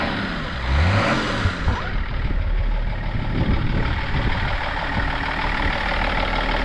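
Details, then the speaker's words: BMW idling with bonnet open: loud, even clatter over a steady rumble, a little knock described as diesel-like, then quieting down; sounds good. "Yeah, sounds good. Call a bit of a diesel knock, but no. [Applause] It's quiet down though."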